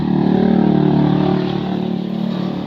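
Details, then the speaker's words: Kawasaki Boxer motorcycle converted to a Lifan 110 4-pin AC-type CDI with an incomplete conversion: it has spark but idles unevenly, galloping like a horse and stumbling, then dies. "may kuryente siya mga idol pero Ito po yung andar parang kabayo yon tapos namamatay"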